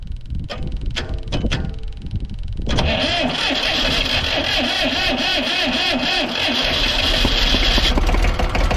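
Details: Old diesel Tower vibratory roller compactor, first run after sitting 30 years: cranks, catches and runs at mid throttle with an uneven, lumpy beat, a bit smoky; owner thinks it is missing on one cylinder.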